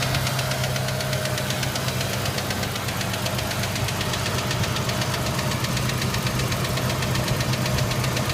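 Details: Ford Ranger: quick, light tick about two or three per second running steadily over an even idle; engine ticking of unknown origin.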